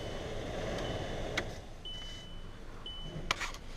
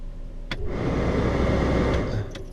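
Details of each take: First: VW Jetta heater blower motor with new blower motor resistor connected, key on test before reinstalling: steady, even fan rush, no rattle, squeal or surging, a couple of short chimes; blower and resistor both work normally. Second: VW Jetta heater blower at 40 degrees outside: speeds 1–3 do not work and only 4 does. A click, then a dull, rough, uneven fan roar that swells and fades. Suspected bad blower motor resistor, and the blower motor may also be failing.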